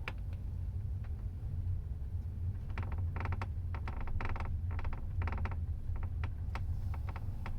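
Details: Tesla Model S, phone in left rear seat: irregular crackling clicks and creaks in bursts over low road rumble from the left rear suspension area.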